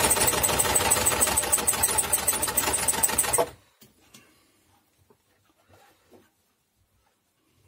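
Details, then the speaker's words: Old Janome sewing machine inherited from owner's grandmother, brought in as not working: fast even clatter for a few seconds then stops; it runs, but stiff from old dried grease, needs lubrication, thread tension adjustment also mentioned. "thôi , giờ mình nghĩ thêm một chút máy vẫn cần tra dầu mỡ nhưng về nguyên tắc thì nó kéo ra hơi dày, như bây giờ."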